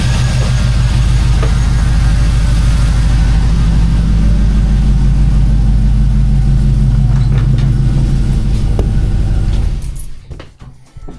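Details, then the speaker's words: K5 Blazer with 5.3 LS V8, started on a cold night after intake gasket replacement for a morning hard start: deep, even rumble with smooth pulse, no stumble or ticking, then shut off; normal running. "Well, it runs. Well, it runs, so that's good to to have."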